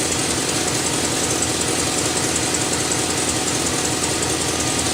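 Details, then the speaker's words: Chevrolet Silverado 6.0 V8 idling after a water pump replacement while burping the cooling system: fast, sharp ticking over the exhaust note; exhaust leak at the manifolds. "I can hear it. I got an exhaust leak. It's from the manifolds. I'll worry about that another day."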